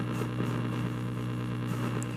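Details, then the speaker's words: 1936 Zenith 6B129 shortwave radio, modified by a relative, dial lamp not glowing: loud steady hum with crackly static bursts from the speaker; cause of hum unknown. "but that's all we're getting is some faint static when i move the volume in a really big hum so i don't know what any of that means"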